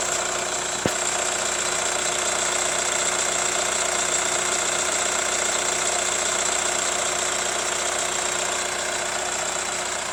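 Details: Hyundai ix35 CRDi 136 hp diesel at hot idle: a steady light knock about 2.5 per second over the clatter. Owner suspects hydraulic lifters or the chain tensioner; unconfirmed.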